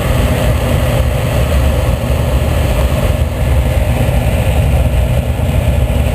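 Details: Oil-fired boiler burner after soot cleaning and a new combustion chamber, with the original nozzle: steady, even low roar with no pulsing or rumble; firing cleanly as it should.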